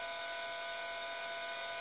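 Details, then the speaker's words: Celestron CGX mount declination motor slewing in the good direction: steady high-pitched motor whir, no knocks, grinding or squeak; normal, unlike the squeak heard in the opposite direction. "go back here sounds perfectly normal just the motor noise"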